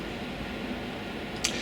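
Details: Newly installed indoor air-conditioning/heating unit, running about 45 minutes set to 22 degrees: even steady airflow hiss with low hum and one small tick; fan running smoothly and quietly.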